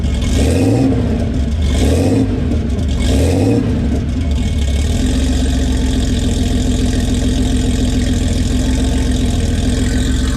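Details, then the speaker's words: 1981 Porsche 930, mostly stock with a few modifications including an aftermarket exhaust, cold start after sitting a couple of days: three sharp throttle blips rising and falling cleanly, then a steady, deep, even flat-six idle with no misses. "I thought maybe we'll do a little cold start action on this socker for you 1981 930 pretty much stock few little modifications a nice little rarely late exhaust system"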